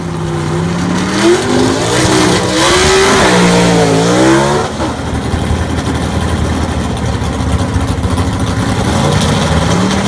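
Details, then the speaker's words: Southeast Gassers Association race car, freshly assembled and pre-run engine, track test passes: loud engine climbs hard through the revs in rising sweeps, lifts off, pulls again cleanly; strong, even, healthy; normal acceleration. "i will try to finish this video up hopefully with a few snippets of some of the testing if everything goes well and let everybody hear what the motor sounds like actually making some passes"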